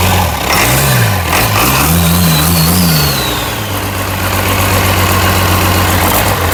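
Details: International DT360 diesel, after priming the fuel system with the manual pump: a steady, low, even idle with no misses or knocks, running smoothly; a healthy runner.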